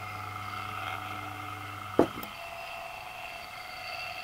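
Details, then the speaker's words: 55-year-old Mistral exhaust fan, 1450 rpm motor, after fitting new NSK bearings: quiet, steady hum with a faint whine, no grinding or rattle; much quieter than before, slight noise possibly from the back bearing. "But, got the motor all back together and working. Dead quiet. I mean, a little bit of noise, but it's much better compared to what it used to be."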